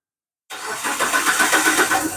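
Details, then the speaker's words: Proton Saga FLX (CamPro engine), started while checking a battery light that stays on despite two replacement alternators: slightly slow, sluggish crank, then catches with a small stumble before settling. Slow start, cause not pinned down. "lambat sedikit lah. Biasalah Kempro. Kentut."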